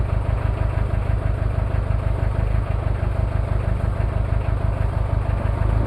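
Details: Toyota 2L-T diesel cold start after piston ring replacement without top overhaul: deep clatter at idle, slightly uneven lumpy beat about three pulses a second, from one bad injector plus possible cylinder head issues.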